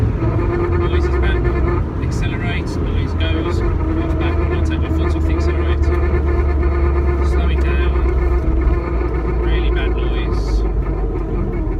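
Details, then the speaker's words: 1995 Mazda MX5 roadster on the road; rough gravelly grind from the rear over road roar, mild when accelerating, worst off-throttle; sounds like binding brakes but brakes work; rear drivetrain grinding on overrun. "When I accelerate, the noise isn't so bad, but you can hear it grinding. Sounds like brakes binding, but the brakes are working."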